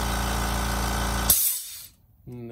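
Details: Kobalt Quiet Tech 4.3-gallon air compressor, about two to three years old, after check valve repair (it had blown air out after cutoff): steady even motor hum with clean pump drone, brief cutoff, then smooth restart; running normally.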